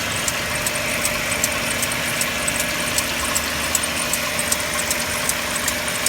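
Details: Mercedes-Benz W204 with M271 engine, cold idle: sharp, regular light ticking about once a second over a steady idle; knock cause not identified, owner asking for help.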